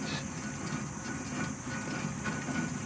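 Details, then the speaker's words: 2009 Toyota Camry wheel hub spun by hand on the removed spindle, with a continuous rough, gravelly grinding. The worn wheel bearing has been bad since about 50,000 miles and is wearing the tires; the spindle is being replaced with a used one. "Okay, so mine is bad here. My wheel bearings are bad. You hear that noise? This is what I hear all day."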